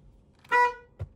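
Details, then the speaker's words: BMW E36 project car back together after 8 months, poly bushings and rebuilt rear suspension: one clean quarter-second mid-pitch toot, horn now working on a temporary ground at the steering column (it failed on the normal ground), positive to the carbon contact. "Zemējumu esmu pielicis rekura pagaidu variantā šeit, jo pieliekot pie normālas zemes tā tauri nestrādāja, bet pieliekot viņš šeit pie stūras kolonas, viņš strādā, tad plus viņš aiziet uz to oglīti un rekura mums strādā."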